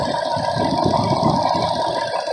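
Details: BMW E38 with the M62TU V8, after replacing the VANOS solenoid seals and gaskets and fixing a loose MAF: a smooth, even idle with a steady mid hum and no hunting, misfire or ticking, while leaked oil burns off. Normal idle.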